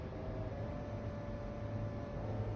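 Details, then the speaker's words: Holley Sniper EFI marine engine, electric fuel pump primed via newly installed momentary push button: quiet, steady low electric hum with no surging or stutter; fuel pump priming normally. "We'll give that a pump, and I can hear the pump priming. You see the light come on. The pump's on back here."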